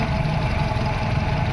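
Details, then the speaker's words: VW Vento petrol engine, P0300 and P0201: loping idle skipping beats with heavy vibration. Cylinder 1 injector gets no pulse from the ECM; wiring is fine, so the ECM is faulty. Cylinder 1 misfire. "इसका जो problem है ECM का है। Wiring का issue नहीं है। Injector में current नहीं आ रहा जिस वजह से गाड़ी मिस फायर हो रहा है।"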